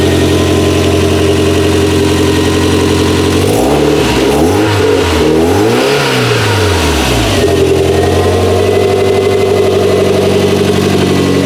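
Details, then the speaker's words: Toyota MR2 with newly installed 3S-GTE turbo engine, days later once completed: even idle, clean revs up and back, no rattle; running good, pulling 22 inHg vacuum. "engines running good pulling 22 pounds of vacuum now"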